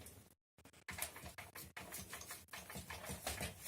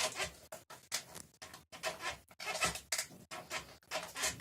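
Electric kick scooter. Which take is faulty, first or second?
second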